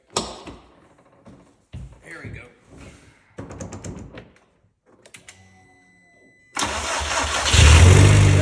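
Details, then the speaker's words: First start of a K04-turbo-swapped Audi TT after reassembly, no catalytic converters: the engine cranks, catches at once and settles into a steady, even idle, running with some smoke. A clean, healthy start. "a wrap on the Audi TT. It runs. It's a little smoky in here."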